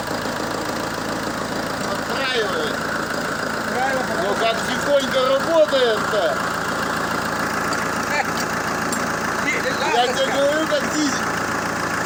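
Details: ZMZ 514 Euro 2 turbodiesel after engine knock repair with cylinder head refitted: steady, even diesel idle with smooth low clatter and no heavy knock; normal running.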